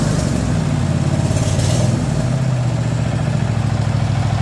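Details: Cub Cadet mower small engine after new starter solenoid, starter, oil change and carb clean; fires up and settles into smooth steady drone with no misses or knocks, running fine.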